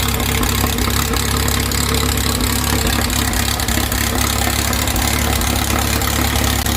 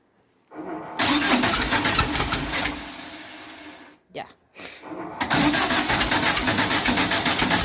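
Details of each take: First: 2332cc "Dust Buggy" bug following a cold start and carb cleaning, with the mixture screws now set after earlier rough running and missing. Warm engine holds a steady, even, deep, smooth idle with no misses or surging: normal idle. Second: 2332cc VW bug (Dust Buggy) cold start, first firing after carbs cleaned, fresh oil, new oil filter: cranks, stumbles, catches, then lumpy uneven beat about four pulses a second; rough running, suspected flooded misfire, smoke noted.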